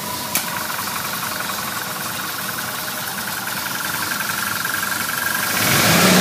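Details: 1978 Ford Bronco V8 after exhaust leak repair, A/C on: even idle with steady quick pulse about four per second, no leak ticking; normal idle.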